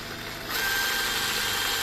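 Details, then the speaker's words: DeWalt DCF891 cordless impact wrench after strip-down, cleaning and regreasing: spins up with a harsh gritty rattle from visibly damaged gear teeth; previously ground and jammed. "you can hear those [Music] gears so it's still not in a healthy condition given that the teeth are obviously damaged on the gears"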